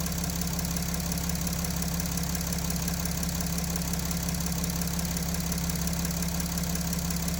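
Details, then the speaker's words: Mercedes OM642 diesel at idle: even knock in the high-pressure fuel pump drive starts when the lift pump PWM duty shifts from 36% to 37%, cutting its output; a quiet pump at higher output, knock when supply pressure drops. "То есть, можно сказать, уменьшилась производительность насоса. И начался вот этот шум."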